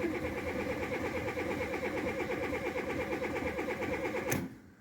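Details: 1997 VW Polo 1.4 petrol, cold start: steady starter churn at about three turns a second with no catch or firing, long crank, fuel smell. Many parts already replaced; faulty coolant temperature sensor falsely reading warm.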